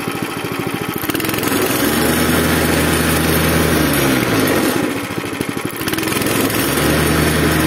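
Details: Zipper plate compactor single-cylinder engine (arrived smoking, running unevenly, stalling, lacking power), after fuel system washed and cleaned, strainer refitted, tank partly refuelled, started on choke: fires evenly, revs sag briefly then recover and hold steady. Repair judged successful.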